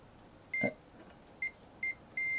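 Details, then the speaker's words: Garage door opener first-time repair, testing limit switches with a multimeter continuity beep: short high beeps when the probes bridge the closed contacts, silence when open; this switch closes and opens properly, all four limit switches tested. "so that's open sorry that's closed and that's open and open is nothing so I'm just going to hold it and then so that one works"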